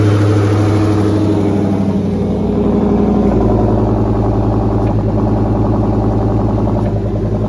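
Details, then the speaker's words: 2004 Mustang Mach 1 after the transmission was pulled, the pivot ball stud refitted with lots of Loctite, the fork greased and fluid refilled. Steady engine run with a smooth rise in revs, no chatter, whir or bearing squeal: normal clutch operation. "tons of locktite on that pivot ball stud and then it just was really smooth again"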